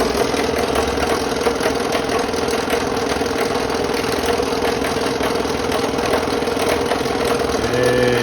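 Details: Restored 30-year-old Delta P-20 cast-iron scroll saw (mid-90s), blade fitted and tensioned: fast, even chatter from the blade stroke over a steady motor hum, no knocks or speed dips; runs smoothly, though some table vibration is noted.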